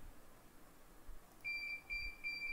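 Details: CP Plus CCTV DVR: after a quiet second, short high-pitched beeps start, about three bursts a second over faint room hum; the hard-disk error alarm, which can be disabled in the alarm settings.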